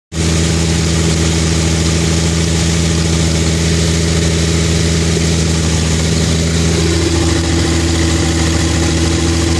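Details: Car idle filmed on a phone after the engine froze at about -13F and thawed, refilled with a stronger fresh mixture: a loud, deep, blatty idle with a slightly uneven beat, loud through an old rotted hole in the exhaust; owner suspects a misfire.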